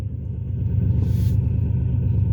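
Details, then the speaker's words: Ford Taurus after a shop repair: deep, uneven low rumble makes the petrol car sound like a diesel, with power dropping dramatically; exhaust leak that appeared after the shop visit. "yeah that other shot they did something to my exhaust so now my mechanic over here he's gonna try to check it out"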